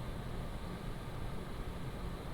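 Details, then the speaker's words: PCcooler DT360 ARGB Display liquid AIO, pump and radiator fans at high fan profile with the system at idle: a soft, even airflow hush with a faint low hum and no ticking or rattling; idling smoothly. "The fans right now is at high profile and this is at idle, the pump together with the radiator fans."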